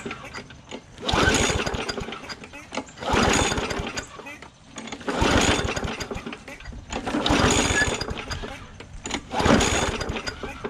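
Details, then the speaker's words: Bolens push mower with pulse carburetor: five pull-start attempts, each a brief rough chuff that never catches; cranks but won't start, owner suspects water drawn from tank, spark not yet checked. "Sounded like it wanted to pop off a couple times, but it might be pulling gas up too. Or sorry, water out of that tank with that pulse carburetor."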